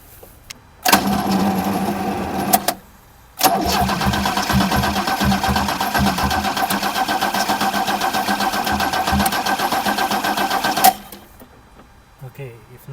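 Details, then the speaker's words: 1979 Opel Commodore C parked 15 years, fuel tank empty, fuel lines cut, primary fuel pump disconnected: starter cranks in steady bursts but it never fires. Spark plugs found completely dry. No start, no fuel delivery. "okay check in the spark spark plugs are completely dry"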